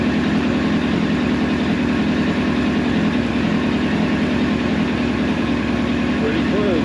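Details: 1999 Yamaha R1 four-cylinder, engine rebuilt about 600 miles ago, warmed up, just after balancing the carbs: steady, even idle with a smooth, unchanging beat and no misses or hunting. Four carbs sound well balanced. Normal idle.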